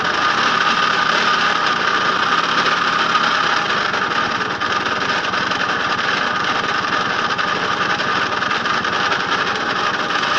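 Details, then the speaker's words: Puch Mini Maxi two-stroke moped, previously seized, run after fuel-system work with no inline filter: rough, raspy, uneven buzz, very smoky and steaming. Owner wonders if transmission oil is the cause; flywheel clattering against coils also suspected. "very smoky sounds horrible and I don't have to shut the up a minute is important"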